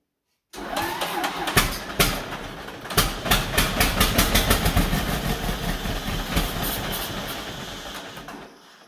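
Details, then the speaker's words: 1949 John Deere B two-cylinder, first start after an engine rebuild, on used spark plugs: it catches with slow, uneven pops, then dies out. The owner suspects it needs more throttle; the cause is unconfirmed. "fired well why did it do that why did it stop yeah the home probably needs a little bit more throttle"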